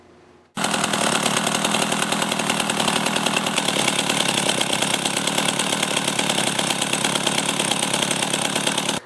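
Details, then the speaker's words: Chainsaw idling with a steady buzzy note and a faint chain rattle as the chain keeps creeping around the bar at idle; a worn clutch spring lets the clutch engage too early, and the usual fix is replacing the spring. "I'll start it up and just notice when it's idling how the chain is constantly turning around the bar when the chainsaw is functioning properly the chain should stop turning when the saw is"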